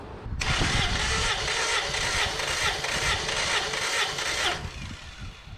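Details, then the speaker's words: Engine compression test, cranked with the throttle floored. Steady, even cranking pulses for about four seconds with no missing beats. The owner claims 350 PSI per cylinder but admits it may be only 180. "it I forgot to count how many times it turned over clearly we've got 350 PSI on our compression test"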